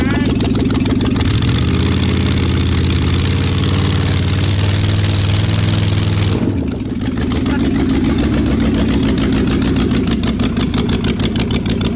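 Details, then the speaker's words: Junkyard Oldsmobile 350 V8 (long-sat, for a 1969 Cutlass) first start on an engine stand: rough, stumbling idle that never smooths; misfire from plug wires in wrong firing order, third cylinder back on both sides, Olds order runs opposite to Chevy. "hey you started it ran but it's like the third one back on both sides get the flies backwards dude well I think so it's real weird cuz it goes backwards I always gonna be able chevy firing order goes clockwise Oldsmobiles backwards"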